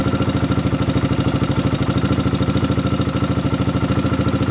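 Quick, even light tapping at about three per second rides over a steady idle, consistent with excess valve lash needing adjustment. Cause suspected, not confirmed.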